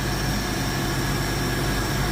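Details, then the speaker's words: 1972 Ford Mach 1, 302 V8 with stock-style HO cam, restored; deep even burble at steady low idle, no misses, knocks or hunting, docile healthy idle, owner thinks it needs a more aggressive muffler. "Yeah, it's pretty docile as you'll hear in the fire up video, especially at idle."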